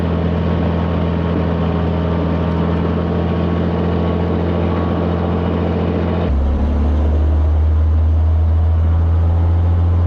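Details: Cirrus SR22 post-flight run-up after annual: switching to right magneto brings rougher, uneven running with knocking and #2 cylinder EGT/CHT swinging; lean running caused by a missing gasket on the #2 cylinder fuel injector.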